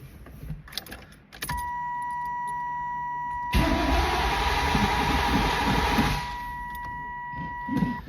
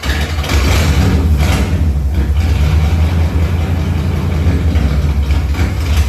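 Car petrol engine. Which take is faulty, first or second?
first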